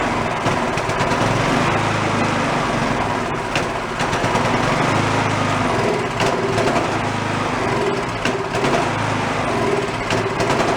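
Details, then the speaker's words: Used two-stage snowblower started on choke with a squirt of fuel: the small engine runs with a rough, wavering note that never settles. Uneven running from a white speck of debris in the carburetor jet. "look close see this little white dot in there some debris"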